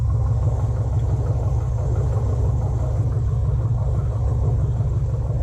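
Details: 2007 Chevrolet TrailBlazer SS V8, first start after an electric fan conversion with LS1 dual fans and a PCMofNC harness; the new fans are spinning. Smooth, even low idle rumble, no misses or knocks; the V8 is running clean and healthy.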